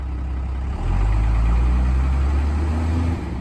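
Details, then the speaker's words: 1993 Dodge Ram 350 with a 12v Cummins diesel, started with a battery charger and boost after the injectors were bled. A deep, even rumble rises briefly, then settles into a steady idle with no misses or knocks. It is running healthily. "And actually started up pretty quickly after I bled all the injectors on the side there. Looks like it's running pretty good."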